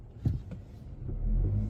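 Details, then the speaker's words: 2024 Mazda CX-50 pulling away from a dead stop: one sharp click, then a steady low engine rumble; the click is also felt slightly in the gas pedal and steering wheel, and the owner suspects a loose wheel, unconfirmed. "click wondering if maybe the wheel is loose but that's essentially what's going on it's hard to hear it like if you had your music turned up you wouldn't hear it whatsoever"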